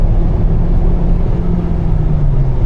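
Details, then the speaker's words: Kia turbo engine at wide-open throttle after repairing the boost-leak hole, dealer had quoted a turbocharger: deep, smooth full-throttle pull with no hiss, stumble or flutter; scan tool shows zero misfires, repair confirmed. "There we go, nice. Good power. I'm looking over at my scan tool. I see 0 misfires across the board."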